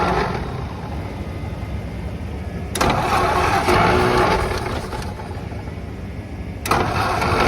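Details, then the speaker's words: 1951/1952 Ford flathead tow truck, cold, fuel fed directly: engine catches with a burst, stumbles unevenly a few seconds, fades, catches again, won't keep running; owners suspect the carburetor. "it's running I'm open to ideas I'm starting to think it's the carburetor"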